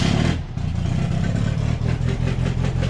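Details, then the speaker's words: Baja starting after a fuel system fix (all it needed was fuel), before warm-up: it catches and settles into a steady, even low rumble with a quick rev, no knocks or misses. Normal running. "And all it needed was fuel, mate. That's all it needed."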